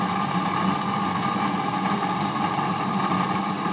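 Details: HP 8901B modulation analyzer cooling fan, before replacement, microphone beside camera: steady airy whir with rough hum near one kilohertz running without letup; worn, noisy fan to be replaced.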